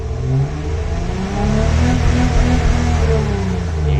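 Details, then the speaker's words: 3rd-gen Acura TL Type S with a replacement RL engine, exhaust leaks fixed with a third cat added: smooth blips with cleanly climbing pitch, no knock; slight occasional hiccups, possibly old fuel. "oh yeah you can tell it's purring titling smooth maybe a little tad rough but just a little hiccups here and there"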